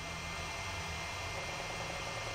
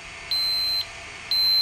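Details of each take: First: Sharp PC-4500/PC-4521 laptop hard drive on first boot after the arm-locking mechanism was bent out of reach: quiet steady high whine with faint soft mechanical activity; drive now spins up and runs normally. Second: Sharp PC-4500/PC-4521 laptop hard drive during RAM test: two long high-pitched beeps about a second apart with no spin-up whir; heads lock and the arm stays stuck, so the drive is faulty and fails to spin up.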